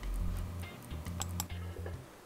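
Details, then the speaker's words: Seagate 1 TB hard drive that had been dropped, with heads stuck on the platter and then damaged in a failed release attempt (which caused clicking and screeching), spinning up with a working donor drive: low steady spindle hum with a few faint ticks, much better than before, and it reaches ready; normal running. "it's making a little bit of a clicking sound isn't still busy I'm gonna wait a little bit because these sounds are much better than what this drive used to be sounding like"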